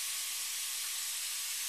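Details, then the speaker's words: VC4 vacuum clamp holding a workpiece with air on: constant, even airy hiss with no pulsing or low hum; modest flow rate through the venturi, workpiece firmly held. "Now you can hear that's constantly letting air through, but it's not a great flow rate, and it's probably noisier on camera than it is in real life."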